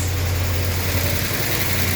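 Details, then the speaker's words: 1966 Chrysler New Yorker V8 first run after 18 years parked, at steady idle with hydraulic lifters tapping while they fill; a faint uneven beat means an occasional misfire, which the owner suspects comes from the old ignition leads. "Plenty of condensation, obviously. Bit of a flat one every now and again. I'm not surprised with them leads."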